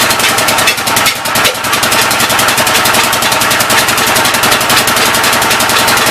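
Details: Old engine's first start attempt on a temporary coil ignition: steady, brisk firing pulses with a hissy, chuffing edge, running unevenly. The intake valve seems to be leaking but is not hanging open; the owner plans to pull the cylinder head and lap the valves.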